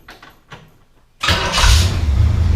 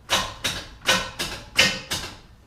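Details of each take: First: 1968 Camaro SS V8 with newly installed, shimmed starter and new power wire: short crank, then engine catches and settles into steady even rumble with no starter whine; starter engaging cleanly. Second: 1968 Chevrolet Camaro SS with a fully charged battery and good connections: six sharp clacks about three per second with no cranking; the starter engages but won't spin the engine, so the starter and its power wire were replaced.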